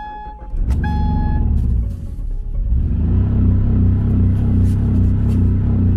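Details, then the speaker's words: Crash-damaged project car with a shattered intake manifold and a sensor plug, possibly the mass airflow sensor's, pulled completely off, oil level checked good: it cranks and catches, then runs loud, lumpy and uneven, rough running from the air leak and unplugged sensor. "so two reasons why this thing sounded like crap when it started up the intake manifold being shattered we knew that"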